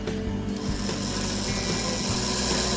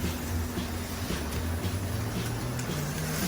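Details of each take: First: Aurora slot car chassis on transformer: small motor whirs with rough uneven buzz, speeds up when brush spring is pressed; poor brush contact on commutator plate, needs brush adjustment. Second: Aurora slot car after major screw post chassis repair, on the bigger track: low electric buzz rising and falling evenly each lap, no stutter or dropout; running smoothly, much better than before.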